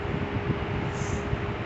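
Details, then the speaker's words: Dayton 3-speed reversible 22-inch box fan, model 4C425, with a General Electric motor, on medium speed. A steady rush of air over a low motor hum, like a humming blower, with no ticking or rubbing; it runs smoothly. "this sounds pretty cool it sounds like a humming it sounds like a humming blower you know right it sounds like a humming blower"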